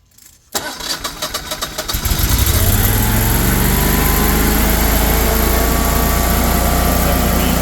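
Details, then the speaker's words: Generac 24 kW standby generator started in manual mode after an oil and filter change, spark plugs and a battery check: it cranks about 1.5 seconds, catches cleanly and settles into a steady, even drone with no knocks or surging. "Okay, so we'll start it up. We're going to put it in manual mode. That's going to start it up right away."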